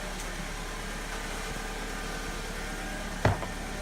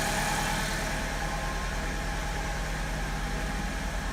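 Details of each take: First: 2002 Alfa Romeo 147 2.0 Twin Spark after replacing an internally intermittent ignition coil: soft, steady idle with an even low hum and one brief click near the end, no stumble, "purring like a kitten"; misfire fixed, normal idle. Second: 2002 Alfa Romeo 147 2.0 Twin Spark 16-valve, misfire at idle and acceleration: uneven, lumpy idle with periodic stumbles in the exhaust pulse; a cylinder dropping out, later traced to a faulty ignition coil.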